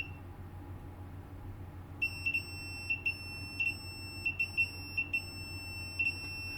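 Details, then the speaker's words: PS5 with no power, multimeter continuity check near the reballed South Bridge: about a dozen short, sharp high-pitched beeps as the probe touches, showing the 3.3V power-good rail, also on a nearby capacitor, is shorted to ground. "You can hear the beep on the ground. And I managed to find a short there, which is the 3.3 volt power good rail, which is also on this capacitor here."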